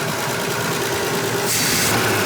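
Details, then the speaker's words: Volvo 164 with worn B30 engine, driving: busy fast metallic clackety clatter over steady idle from the top end; heavy blow-by, compression test and head removal planned. "Hear that clackety clank clank? It's troubling me. Opening its top end."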